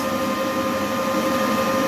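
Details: Charger fan on a 14S industrial drone smart battery charger, after repair of a charger error that stopped charging; charging at about 66%. Steady, even mid-pitched whir, no rattle, ticking or speed change; normal cooling fan.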